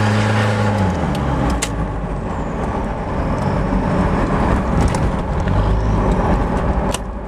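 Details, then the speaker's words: 1994 Toyota Hilux Surf SSR-X KZN130, 3.0 1KZ inline-four turbo diesel, 138,000 km, side exhaust, heard through an open window under hard throttle: gruff roar swells evenly with no knocks or misses. Pulls healthily. "You can hear that side exhaust. I got the window all the way down. I like to drive with the window down so I can hear it when I romp"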